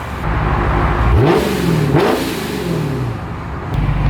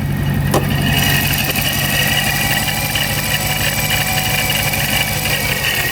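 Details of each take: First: Procharger-supercharged Scat Pack V8 after its tune fix, revved from a slightly rumbly idle: pitch climbs and falls smoothly through two quick blips with a steady whir, no misses or knocks; normal. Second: Fully warmed Procharger-supercharged Scat Pack V8 idling, with a loud, gritty, grindy mechanical whir from the supercharger over the engine; owner unsure whether it sounded like this before, cause unclear.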